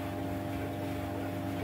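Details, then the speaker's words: 15-year-old White Knight 37AW tumble dryer, first run after repair of a horrible grinding noise with worn parts replaced: smooth, steady hum with an even low tone and no grinding or rumble; normal drum rotation. "well i'll put the little video i did of the noise it makes or was making in with this one so you can hear the difference but that is a lot different"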